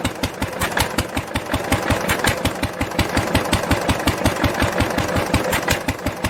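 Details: 1946 International LBBR 3-5 hp hopper-cooled engine off a hay press, with a homemade glasspack muffler fitted: quick, evenly spaced exhaust pops over a low thump, steady throughout; normal running.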